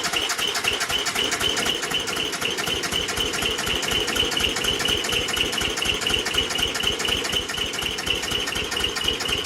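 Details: Worn Bolens G174 diesel tractor, hours unknown, cold start attempt on a 90°F July day. Long cranking at about four even beats a second never catches. Glow plugs, filter, fuel, starter and battery were checked; compression of 325/395 psi means low compression is causing the hard start.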